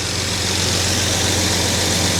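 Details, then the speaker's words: Jaguar XJ6 after a head gasket replacement and camshaft retiming, fully hot after about 15 minutes with the thermostat open and the choke turning off. A smooth, even idle, a bit higher than usual; owner wonders if the cam timing causes it. Finding: normal warm idle. "So, choke is turning off. Idle is a little bit higher than usual. I wonder if that has to do with the cam timing."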